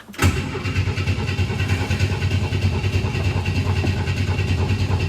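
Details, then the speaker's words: 1962 Chevy II after its fuel filter screen was cleaned and the carb primed by about eight seconds of cranking: a steady starter churn of about three compressions a second that never catches; cranks with no fire, suspected lack of fuel. "all right so no fire I'm assuming from no fuel"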